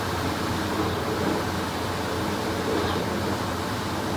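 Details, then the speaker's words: Restored vintage KitchenAid three-speed washer at top-speed rinse and spin: an even, steady whooshing hum with no clunking. The heavy drum stays balanced, so this is a normal spin cycle. "it's kicking it now there she goes that's the rinse and spin cycle love it"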